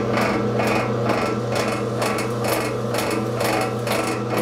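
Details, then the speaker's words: Rebuilt model 340 drill press motor with new spindle and bearings, top left open, belt drive running: motor hum with heavy chatter about twice a second; severe vibration, and the motor runs smoothly with the belt off. "when I take the belt off of the pulley the motor runs very smoothly"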